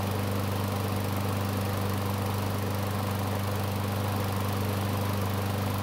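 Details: Craftsman mower that stopped when hot, running about three minutes on a hot day after carburetor replacement: steady even low drone with no surging or misses; thermostat has bypassed the choke, running normally warm.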